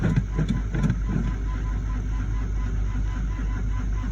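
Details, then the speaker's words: Chevrolet Suburban below zero degrees, cold-soaked after freezing days, weak battery on charge, full tank, oil pressure showing: low labored cranking with a few uneven chuffs, never catches; slow cold crank from weak battery. "let's see if she spins she's going she's not happy"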